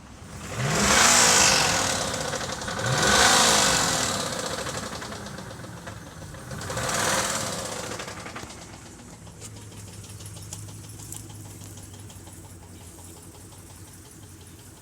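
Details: 5.3 Vortec V8 blipped three times: harsh knocking rattle on each rev before dropping to idle; owner suspects piston rod knock, also mentions blown head gasket, not confirmed.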